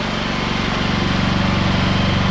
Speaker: making 243 volts 60 hertz no hours this thing has no run time on it at all